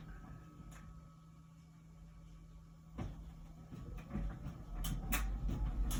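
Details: About one-year-old LG Wash Tower WKHC202HBA heat pump ventless dryer, before the new buzz begins: quiet steady hum with soft thumps of the load turning over, nothing harsh; normal tumbling.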